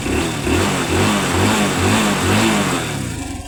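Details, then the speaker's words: Honda Wave 110i, short revs: a light, rapid chain rattle over the exhaust pulses; suspected slack cam timing chain, to be checked by removing the cover. "นี่ครับมีเสียงโซ่นิดนึงครับไม่ดังแรงนะครับอย่าตังพอได้ยินนี่ครับอาการนี้น่าจะโซ่รอลิ้นหย่อนครับผม"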